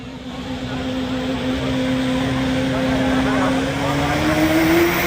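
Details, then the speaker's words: Duramax diesel pulling truck at truck pull: roaring hard with pitch climbing steadily; engine running away out of control, possibly from bad injector/fuel pump; cause suspected, not confirmed. "secondly that's why that little piece right there is required on these pulling trucks so the store that I've heard and feel free to correct me if I'm wrong is that the reason that that engine ran away on that Duramax"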